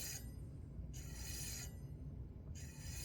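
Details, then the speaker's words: Bicycle front wheel disc brake after pad adjustment, still rubbing: a light scraping swish returns about every 1.5 seconds as the wheel spins, because the disc wobbles and catches the pad at one spot. Warped-rotor rub. "and what I noticed is that actually the disc has a little wobble so there is a area there where it's rubbing against the you can hear that area right there it's not everywhere"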